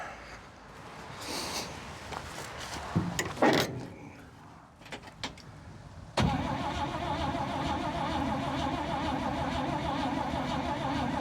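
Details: Old International farm truck parked over a decade, first start attempt with fuel added, spark uncertain; starter spins the engine at a steady, even pace for several seconds but it never catches: cranks, no start.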